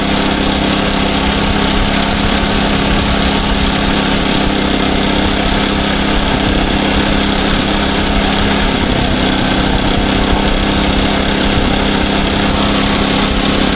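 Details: SDMO 5000W generator, Briggs & Stratton engine (about 18 hp, 296 cc), before repair: even hum at constant speed, no misses, knocks or rattles, engine fine, but output only about 4 V on 120 and 240; previous owner suspected a blown alternator.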